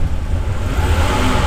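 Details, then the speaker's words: 1991 Mercedes 300E, about 200k miles: engine revs with a steady rising drone but the car won't pull away in Drive or lower gears, only moves in Reverse; red fluid leaking, likely transmission fluid; transmission slipping or not engaging, cause unconfirmed. "are you in drive I'm in Drive let me try a lower gear does have a blone try all the gears dude try try all the gears I am hold on hold on you're going to push me uh yeah try reverse try reverse seriously seriously it works in Reverse are you kidding me that's it we got a call car that only drives in Reverse"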